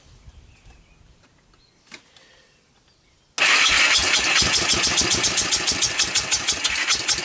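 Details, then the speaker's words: 1998 Honda TRX300EX, rebuilt by previous owner, carb cleaned, intake valves adjusted, portable CDI box: cranks at about three strokes a second but won't fire; running very rich, owner thinks it flooded, suspects timing off. "yeah the gas is on I think I think it completely flooded out"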